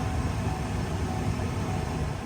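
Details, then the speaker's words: Chevrolet Corvette C7 Z06 cabin blower, heard from inside with ignition on after a cabin filter chewed up by a critter: steady, even whoosh at about medium speed with no vibration. The blower motor is balanced and good. "all right it don't matter I'll worry about is this hear the blower running we don't hear vibrations"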